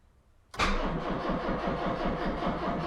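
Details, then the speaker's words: Citroën 2CV after five months stored, not very good battery: the starter churns in slow, labouring pulses and never catches. The weak battery cannot spin the engine properly. "that's not a happy sounding battery is it our dear"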